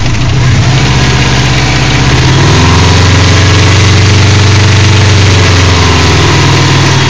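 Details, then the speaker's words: 2002 Subaru WRX 2.0L boxer at idle, mostly stock internals, harsh gritty grinding over the low rumble, loudest atop the cylinder 1 and 3 head; owner rules out rod knock, suspects left timing belt tensioner, unconfirmed. "grinding noise over here is very prevalent on top of the one and three cylinder head i have no idea what it is"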